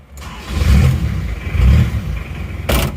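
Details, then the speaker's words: Isuzu Panther Miyabi diesel after engine overhaul: the glow-plug feed wire, which had not reached the plugs, was repaired. Brief crank, then it catches almost at once and settles into a steady diesel clatter, a normal quick start. "langsung cegreng ya hidupnya"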